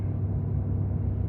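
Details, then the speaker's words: 2018 Ford F350, 6.7 Powerstroke, about 210,000 miles, cold, high idle switched on with parking brake set: steady diesel rumble under loud airy radiator fan roar; fan on while cold, cause unknown, expected to cut off once warm, listed for shop check. "flip the switch the fan is on don't know why this truck isn't as bad as mile with the rad fan but"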